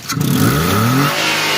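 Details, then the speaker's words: 2022 Suzuki Alto after replacing the alternator bearings, alternator reinstalled, light rev and release: pitch rises smoothly and settles cleanly, with no whine or rumble; the earlier alternator noise is gone. "Okay बिल्कुल भी अब nice वगैरह कुछ नहीं है हल्की race देके छोड़ो"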